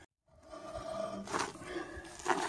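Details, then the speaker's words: 1977 Ford F250 rear wheel, vehicle raised and wheel spun by hand: harsh scraping rasp surging each turn with drag, suspected broken drum brake return spring. "Notice the scraping noise coming from this wheel area right here, and I'm going to go ahead and raise the vehicle and see if I can figure out if it's a broken brake spring or just what it is."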